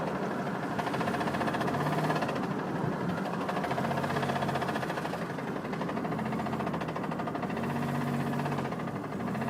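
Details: Driftbuster petrol engine at steady idle with a rapid, dull knocking through the running noise; suspected rod knock, unconfirmed.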